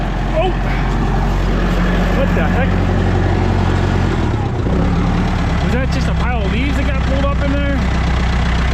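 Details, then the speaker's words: International 125E power-shift track loader diesel, sat about 10 years; heavy steady even low-beat chugging, no knocks or misses; normal running, though something later blew under load. "otherwise running good she's a runner was just a little bit of you know banging and prying and good old International"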